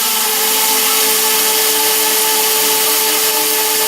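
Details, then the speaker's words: RC quadcopter drone, motors revving higher and louder with no stick input: high steady whine at full revs that never eases, yet it won't lift and wants to flip; owner suspects reversed propeller shafts. "Not touching a thing. It's getting really loud and revving really high. If I try to do it even a little more, it doesn't go anywhere, see?"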